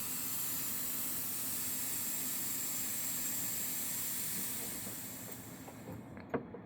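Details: 1998 Nissan 180SX intake pressurized with a compressor to about 15 psi, engine off: steady airy hiss fading as the pressure drops, air escaping through a leak on a ridge of the intercooler; boost leak.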